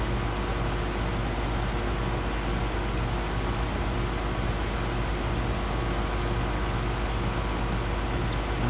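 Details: Residential HVAC system restarted after pump-down with service valves reopened: even compressor hum with a steady fan rush, no knocks, rattles or cycling; running normally, superheat and subcooling to be checked.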